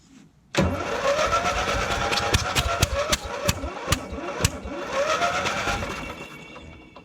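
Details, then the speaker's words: Murray ride-on lawn mower that sat 1–2 years, spark confirmed, belts rusted to pulleys: a sluggish, labouring crank at about two turns a second that never catches and slowly fades, the starter motor failing; the starter was found broken and corroded. "So either that battery's dead, or this is, starter might be going not very well."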